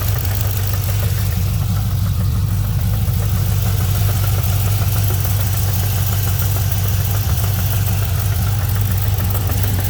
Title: LS3 engine noise at idle.